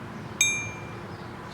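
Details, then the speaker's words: Modified no-name axe head after grinding, tapped to check temper: a single tap gives a clear, bright metallic ring that sustains and fades cleanly; still rings, slightly different with less metal. "A little bit of a, still has a ring to it. Expect it to be a little different because it's not as much"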